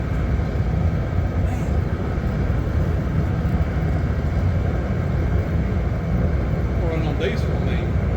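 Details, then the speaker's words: Used Master radiant heater, labelled kerosene-only, running on diesel on the first try from a bone-dry tank: steady, even low roar of burner and fan with no sputter or surging. Normal running. "oh uh running on diesel hey hey hey on first try I mean it was dry as a bone too"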